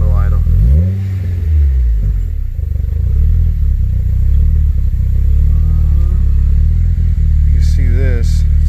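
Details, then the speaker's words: Acura RSX with swapped ECU and immobilizer key: idle sits low then sags and surges unevenly before settling, wants to die on throttle; owner suspects vacuum leak or throttle, too much air; hunting idle. "starting to bounce. Oh wait, there it goes. It might be a vacuum leak if it keeps doing that."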